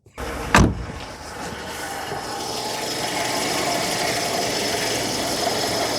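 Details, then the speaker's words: 1987 VW Polo Mk2 Fox, original low-mileage 1-litre single-barrel carb engine, after fixing the idle fault: catches quickly, flares, then settles to a smooth steady idle, "running like a sewing machine", before idle mixture adjustment. "Running like a sewing machine."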